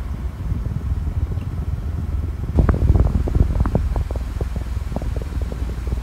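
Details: Cleaned Duracraft pedestal fan on low speed: low steady quiet hum with light soft ticking, no grinding or rattle; runs normally, though it later vibrated when set to oscillate.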